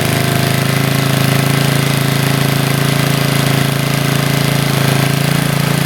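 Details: Roughly 40-year-old Briggs and Stratton single-cylinder on a garden tiller, after a carburetor rebuild and linkage adjustment: steady low throbbing at constant speed with no misfires or surging. Runs smoothly, slight seepage possibly spilled fuel.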